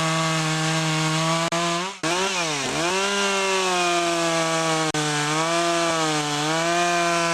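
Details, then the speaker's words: Poulan Pro chainsaw after fixing a clogged air filter and sharpening the chain: strong high-pitched scream at full revs, dipping briefly as it bites into wood and recovering cleanly; normal running at full speed. "so you can see how it works better with the clean filter"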